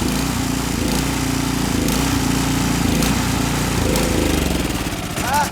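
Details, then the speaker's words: Ariens Deluxe 28-inch snow blower, gravity-fed, fuel cutoff off to drain the carburetor for storage: small single-cylinder engine chugging unevenly, faltering and stumbling as it winds down, carburetor emptying; engine stutter from fuel starvation. "It just means that the carburetor is going to get a little low. It's going to run rough. Like it'll die. You hear it running rough?"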